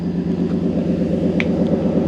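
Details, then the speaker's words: Cadillac limousine abandoned for 10 years, after fitting a new flex pipe and driving home: deep, even exhaust rumble with no ticking or puffing from a leak; normal sealed exhaust. "the crazy thing is every time I have ever put on a flex pipe they've leaked like crazy this one perfectly quiet and the exhaust"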